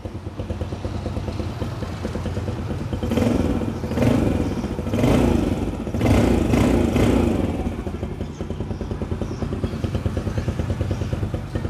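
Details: Used 2018 Yamaha Sirius, blue-white with custom paint, custom rims and a stock exhaust: the small single rumbles evenly and swells smoothly with each throttle blip, settling back without knocks or misses; normal healthy running.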